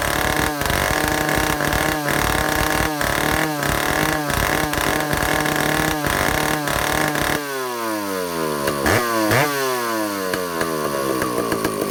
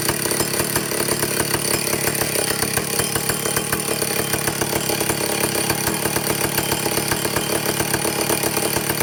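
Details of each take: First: Vintage Stihl chainsaw, power head only, air leaks fixed, new old stock governor valve, low speed set, testing high-speed needle: blipping, then long rev that climbs and levels off short of full top speed; limited top speed. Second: Vintage Stihl chainsaw after air-leak and fuel-system repair and carburetor adjustment: steady high-pitched two-stroke scream at full throttle; no surging or sputtering, running cleanly.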